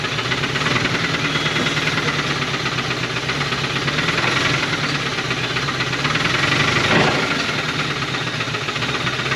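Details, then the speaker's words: 1980 Dodge truck V8 with a known rod knock, restarted after sitting for years, fed by a temporary fuel hose and a splash in the carburetor: rough, smoky idle with an irregular deep knock under hissy engine noise; rod knock. "she's smoking and knocking that's perfect"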